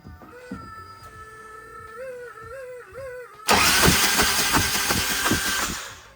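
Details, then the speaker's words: Harley-Davidson Electra Glide Ultra Classic, reassembled after arriving in pieces, cranked on the starter with the spark plugs removed before first start. A fast, even whirring crank with regular pulses and no binding or grinding; the engine turns over freely. "I want to see how this motor does cranking over first before I try and start it I'm going to remove these spark plugs and just let the engine turn over"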